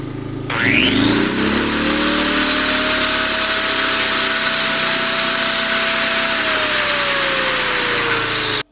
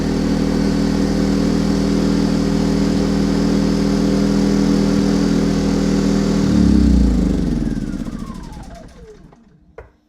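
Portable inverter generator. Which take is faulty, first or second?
second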